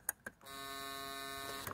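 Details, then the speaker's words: Isuzu Trooper/Holden Jackaroo 4JX1 (UBS73) with new aftermarket alternator, key on: clicks, then the blue relay in the fuse box buzzes steadily, chattering rapidly, when plugged in. "you can hear it buzzing now if we jumper between a couple of pins here so this pin here and this pin here this is what happens"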